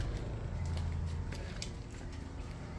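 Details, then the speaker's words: 2023 Airstream Rangeline travel trailer fresh water pump, tank at 44%; low steady rumble drones on without cycling off or building pressure; water later found flooding out behind rear tire and at front, so leaking somewhere. "the pump strangely doesn't pressurize it just kind of goes on and on and on and we're not sure why but you can hear it"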